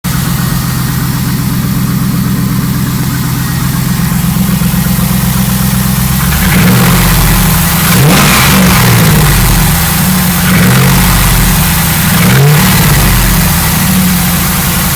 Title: LS1 piston slap